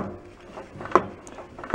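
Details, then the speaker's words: Locked-up Kohler Command 18 hp engine on a Toro riding mower, turned by hand: quiet rotation, then two sharp metallic clunks under a second apart; internal damage, connecting rod failure suspected. "that clunk's not good they're not supposed to do that i still think we got a rod problem"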